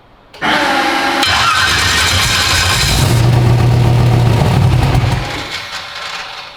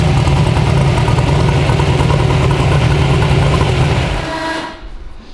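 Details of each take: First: 372 small-block Chevy in an original S10; rhythmic starter cranking with brief catches that never pick up, then winds down. Owner suspects injector fuel pressure; engine cranks but won't start. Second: 372 small-block Chevy V8 in an original S10, on an LS tune file with timing added, heard from outside the truck; a deep, loud, slightly lumpy idle with no knocks or ticks before shutoff. Normal idle.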